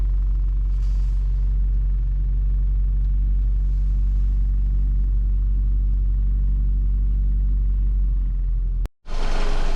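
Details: VW Golf Mk5 (Golf V) with 50,000 km, engine running around 1500 rpm: deep hum with a busier buzzing rattle from the inside right side, caused by fuel lines rattling against the body frame after a fuel filter change; fixed with zip ties.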